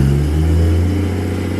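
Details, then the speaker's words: Ford Falcon XR6 Turbo with suspected transmission damage (metal filings), just started in neutral: engine holds a steady fast rev with no throttle input, far above normal idle; abnormally high idle, cause unknown. "this is one thing that it does which i think is really odd it's now revving super high which i'm really concerned about i have no idea why"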